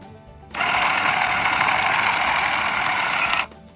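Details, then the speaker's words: A used quad's winch motor, reassembled and sealed after repair, spins freely on a booster battery in a clean, steady high-pitched whir for about three seconds, starting and stopping crisply with no grinding or stutter; normal motor run. "So I've got a battery here that I use to boost my quads, and I'm just going to use it to make the motor turn."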